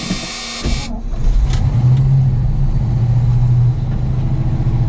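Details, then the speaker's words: Old Ford grain truck, cold start: catches after cranking and runs on raised revs with a brief sag while the pedal is pumped to feed the carburetor's lift pump; fuel-starvation stumble. "to keep it running fast if you're out of gas again we have the momentum to keep spinning when i sit there and pump like crazy"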